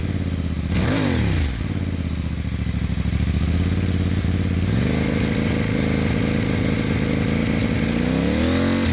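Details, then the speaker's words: Voge DS800X Rally after a low-cost aftermarket exhaust swap meant to ease the Euro 5 jerky throttle: quick blip on startup, then a nice deep, even burble at idle and a clean rev, quieter than the original exhaust; normal start and idle. "It's actually not as loud as the original exhaust, which is surprising. However, this is nice. Got a nice little deep burble to it."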